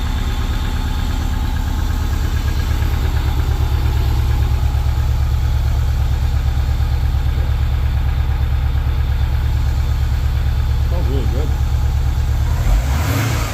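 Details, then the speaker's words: Subaru 2.5RS rebuilt engine, first start after reinstall, warming up: smooth, even low idle holding a steady beat, no tapping or misses; owner says it sounds really good, normal idle. "this thing sounds really good yeah it does holy crap right on"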